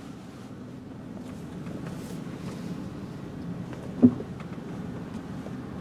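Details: 2004 Chrysler Sebring Limited convertible on a test drive, up through the gears to about 50 mph: low, steady engine drone with road and wind hiss, no knocks, whine or vibration, smooth and tracking straight; normal highway cruise.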